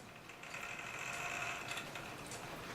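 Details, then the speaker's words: E. N. Welch parlor clock with broken mainspring and missing verge and taper pin: turning the hand sets off a quiet fast whirring buzz with no tick as the gear train spins freely without its escapement. "see it keeps going does that give you a hint of what's actually going on with this clock"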